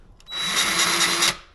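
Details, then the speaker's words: Harbor Freight Bauer 20V electric grease gun, first use: about a second of high motor whir with a faint steady cycling pulse instead of plain pump running; pump stroking normally and grease on its way. "So that sound, you can sort of hear it making a cycling sound instead of just the pump running."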